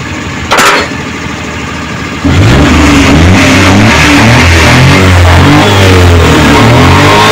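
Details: Suzuki Multicab F6A engine that would not start, now running after carburetor overhaul, cleaning and float valve adjustment: settles into a steady, even idle with a clean low drone, then pulls up smoothly; healthy.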